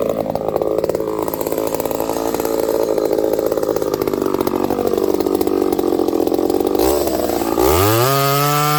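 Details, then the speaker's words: Ported, piped vintage Homelite 922 two-stroke chainsaw cutting wood: high screaming note sags and drops in pitch under load, stumbles, then picks back up; losing power in the cut, owner will pull the muffler, cause unconfirmed. "this thing was kind of stumbling i could feel it in the cut it had lots of power and then all sudden it was like ah"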